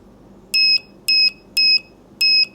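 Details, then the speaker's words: PS5 DualSense controller button being checked with a multimeter before soldering; touching the two outer pins and pressing the button gives four short, clean, high beeps. Continuity beep, switch good. "Đó, và anh em nhấn xuống nè. Đó, vậy là ok ha, cái nút nó hoạt động anh em."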